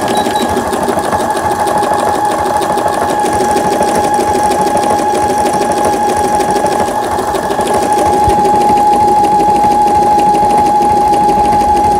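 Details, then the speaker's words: Brother Innovis 10 sewing machine after needle bar repair, reverse button and needle bar working: quick even stitching about three stitches a second with faint steady motor whine; repair successful, normal stitching. "후진 버튼, 바늘대 상하 성공적으로 되고 있고, 바느질 되고 있고, 수리가 잘 됐습니다."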